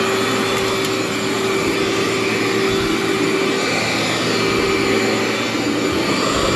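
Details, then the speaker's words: Cleartrak/Workhorse vacuum power brush after brush and belt replacement, running on floor setting; smooth steady motor whir with even high hum, no rattle, scraping or belt slap; normal operation. "feels like a new machine just digs right in there"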